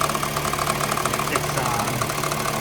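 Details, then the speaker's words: 2013 Honda Fit, cold engine idling near 1,000 rpm in gear with AC on: quick regular metallic rattling several per second, gone when idle rises; caused by a bad, prematurely worn serpentine belt. "And you get the rattle here. And especially if you turn on the AC, it sounds horrible. And it's much worse cold."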